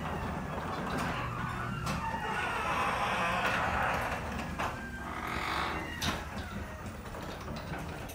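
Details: Genie garage door recorded up close while travelling. Grinding along its track with loud, wavering high squeals that come and go: squeaky, noisy garage door.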